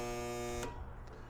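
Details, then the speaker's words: Husky Pro air compressor, bought new 2007, failed about 3 years ago; pump not locked, starter/motor issue suspected: loud steady electrical buzz about half a second with no spin-up, louder with motor in original failure position, breaker not tripping; burnt motor failing to start. "So that's pretty loud, but it's not tripping the breaker. Let's move the motor to a different spot. That's way louder."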